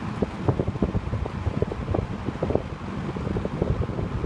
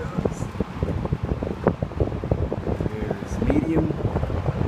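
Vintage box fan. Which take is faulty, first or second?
second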